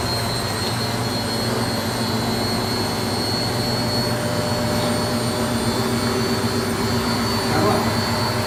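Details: Beko D5 7101 washing machine with a plastic drum, after the drum was cut open and its bearings and seal replaced: an even rushing spin with a steady faint whine and no rumble or grinding, so the new bearings run smooth and quiet.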